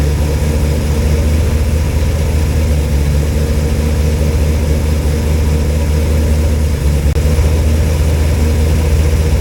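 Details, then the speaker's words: Cold engine (flat-tappet cam, after a wiped cam lobe and teardown) idling with good oil pressure at 40°F, no water pump fitted so run only briefly; even, deep idle with a steady beat, no clacking or knocking: normal cold idle. "well it runs it sounds good it ain't clacking it ain't knocking it's idling you know as you expect the cold engine you know it's 40° out here and I have no water pump so that's all I'm going to run it for"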